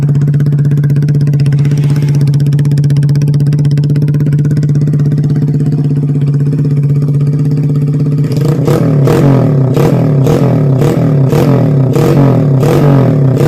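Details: Yamaha Vega R bored up with oversize 450 Kawasaki Kaze piston and higher compression, after replacing the conrod: steady even idle with a clean beat, crisp blips rising and settling smoothly, no knock or rattle; smoking cured, rough sound back to normal.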